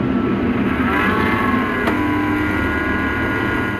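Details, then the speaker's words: Upgraded desktop PC at first power-on after rebuild: loud steady droning hum with high whine on top from the CPU fan; cause unknown, owner wonders if something is loose though believes it was fitted correctly. "Yah, ternyata fannya bunyi, coy. Dan gua bingung banget ini kenapa bisa bunyi, anjing?"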